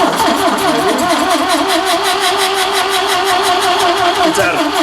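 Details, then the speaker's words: Ford Capri engine that sat about 15 years, cranking and breathing out of the carbs: even quick cranking with airy puffing each stroke but never catches; suspected out of time or an intake valve stuck open. "crank it over again yeah so it's probably out of time we'll uh or the or it's got an intake valve stuck open"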